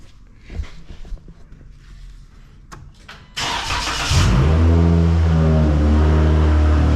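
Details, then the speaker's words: 2012 Dodge Challenger 3.6L with an overheating concern, after the loose crankshaft bolt and sheared balancer keyway were repaired and the bolt re-torqued: loud but steady, even idle with no knocks; belt and water pump now turning normally. "Wow, that's loud. All right. So, the belt turns, the water pump turns, everything turns."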